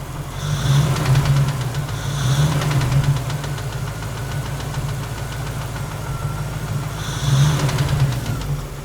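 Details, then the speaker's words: LT1 V8 in a 1961 Rambler frame-swap build, warm, held at the right rpm, oil pressure about 25 at hot idle: light fast tapping roughly three per second over steady idle; mechanical knock too light for rod knock, source not found or fixed. "Noise is still there, as expected, because I really didn't find anything. I didn't fix anything."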